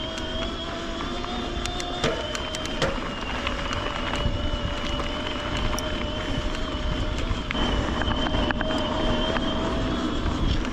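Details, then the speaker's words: LightCarbon LCE930 mid-drive e-bike climbing in power levels two through max turbo; steady high singing teapot-like whine and creaking over tyre and trail noise as the motor works under load. "It caks and it sings like a teapot."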